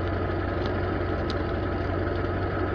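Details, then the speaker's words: Zhiguli after a frozen-water engine was thawed, now warmed up: even, steady idle with a smooth low hum and no knocks or stumbles; the engine is running normally once warm. "прогрелся работает все нормально микроба счастлив"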